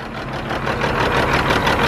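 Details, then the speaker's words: Caterpillar C15 diesel truck with suspected blown head gasket and four dead injectors per scan tool: uneven, lumpy idle with irregular pulses and clatter; rough running from clogged injectors, being flushed by blocking the return line. "It fired up, and it's just running like rough, like really rough."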